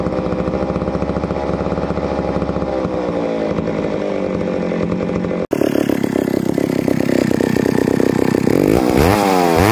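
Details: Neglected old McCulloch Super 250 two-stroke chainsaw revived: crisp, even buzz holding steady, then climbing cleanly when the throttle opens; running normally.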